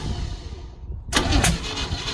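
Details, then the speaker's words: 1936 Oldsmobile engine not run in 25+ years, first start with a jumper cable around a faulty solenoid: slow cranking, then a sharp loud backfire pop and a second crack a third of a second later; ignition timing set wrong, to be redone from cylinder one. "Backfire. Backfire. Somehow I didn't do the timing right."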